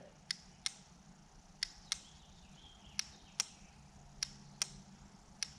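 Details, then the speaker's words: Automotive relay bench test, 12 V jump pack on terminals 85 and 86: sharp clicks, about nine in six seconds as power touched on and off; coil energises and switch moves, contacts not yet verified. "That's the switch inside. That's telling me that the coil inside is energizing, it is creating the magnetic field, and the switch is moving."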